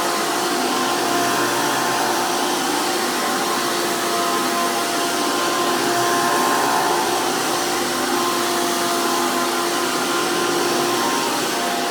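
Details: 2002 Hoover PowerMax II U5246-940 upright vacuum with 12 amp Elite motor, after motor work: loud, steady high rushing whine from a high-RPM motor and 20-blade fan impeller, no rattles or grinding; normal healthy motor and fan running.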